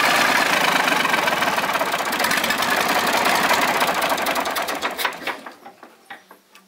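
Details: Volvo 320 tractor, Perkins diesel, first start after repair (valves adjusted, injectors, filters, oil changed, rocker cover off): even steady idle clatter, then winds down cleanly with slowing puffs at shutoff; no misfire.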